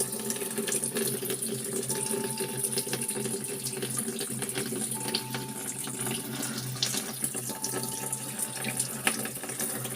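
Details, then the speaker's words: LG top-load inverter automatic washing machine after replacing a part to fix very weak water filling; strong steady rush of water into the tub, no sputter; normal water fill. "narinig moung tubig malakas na o yan normal na ano niyan na flow"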